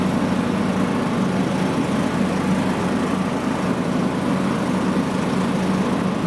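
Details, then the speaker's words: John Deere LA115 riding mower after reattaching the deck bracket and refitting belt and deck: steady, even single-cylinder drone with no misses, knocks or surging; runs great and deck works. "Alright, so I've got it all power washed here. It runs great. The deck works great."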